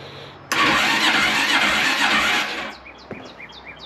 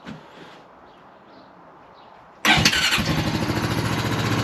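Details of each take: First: 2003 Honda Rancher 350ES ATV, after installing a new starter solenoid: sluggish whirring crank for about two seconds that never catches, sounding like a dying battery; weak starter motor, later replaced with a new starter, after which it started right up. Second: 2003 Honda Rancher 350ES ATV after replacing the starter solenoid and starter: quiet, then one quick crank and the engine catches at once and settles into a steady, even idle; starting normally.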